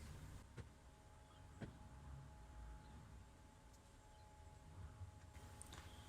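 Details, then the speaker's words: Diesel heater start-up on the bench, glow plug at full glow drawing about 10 A, before the fuel pump starts: quiet steady low fan hum with a few light clicks and no pump ticking, normal. "So that looks like the glow plug now at full power, full glow, about 10 amps. Just about hear that pump, that fan in the background, no"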